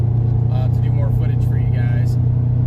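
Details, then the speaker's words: Lifted Honda CR-V after an exhaust fix and alignment, driving with the phone on a windshield mount. A steady, low engine and road drone with no metallic rattle; the exhaust no longer rattles against the trailer hitch and frame. "but um if you notice there's no more of that exhaust rattle in the beginning of this video"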